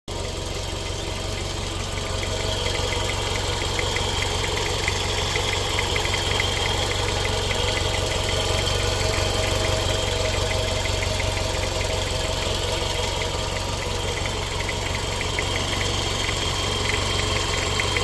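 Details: JDM Toyota MR-S/MR2 Spyder ZZW30 with a 1ZZ engine at 91,xxx km, idling: a fairly regular hollow knock, about four a second, over the hum; cause and source unknown, engine seems to run fine.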